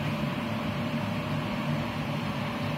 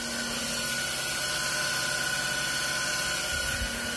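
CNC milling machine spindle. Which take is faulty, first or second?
second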